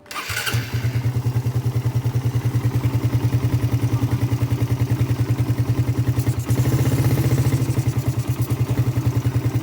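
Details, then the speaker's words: Suzuki Satria FU carburetor motorcycle, automatic fuel tap kept dry with no pooled fuel: starter spins briefly, engine catches within a second and settles to steady even idle; normal prompt start, showing a dry line causes no extended cranking. "Nah, kalau misalkan di situ nggak ada bensin ya, kering seperti ini, kita anggaplah ini kering ya, nggak ada bensin tertumpuk di situ, itu tidak akan menyebabkan starter memanjang ya."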